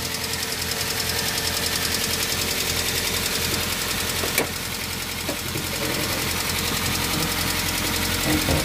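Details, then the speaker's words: Daihatsu Xenia engine at steady idle, after engine teardown and reassembly: fast even sewing-machine ticking, three or four clicks a second, persisting; valve lifters (tappets) swapped from original positions or wrong size fitted. "Jadi , jika kondisi seperti itu terjadi setelah perbaikan mesin dan terdengar kasar, penyebab yang paling mungkin adalah pengangkat katup, atau tappet katup tidak dipasang kembali ke tempat asalnya."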